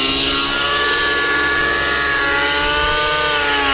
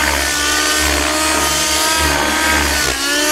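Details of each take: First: RC helicopter rotor heard during rolls, note swooping up and down with a raspy, buzzy, dirty edge instead of a crisp clean chop; blades out of track. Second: RC helicopter after its blade tracking was fixed: a loud, steady engine with a clean, even rotor swish that rises and falls with the manoeuvre, with no raspy sound at the end of the roll. Normal rotor blade noise.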